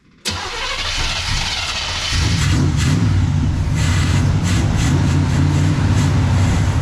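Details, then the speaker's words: 1979 Chevrolet Camaro with freshly fitted Quadrajet carburettor: catches after short crank then settles to uneven, lumpy grumpy idle; choke wired wide open. "Survey says grumpy. The choke is wired wide open."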